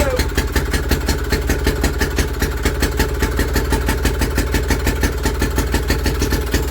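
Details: Villiers WX11 single-cylinder engine on its first start after carburetor work, which many had failed to get running, started with the lever set to lower for cold start and points cover off: a slow, even chuff with steady firing and nothing irregular.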